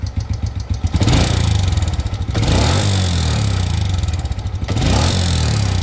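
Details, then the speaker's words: Motorcycle blipped twice from idle: rattly clatter from the top end grows louder as revs climb; cause suspected, not confirmed. "Plus vous le ralentissez, plus ça sonne fort."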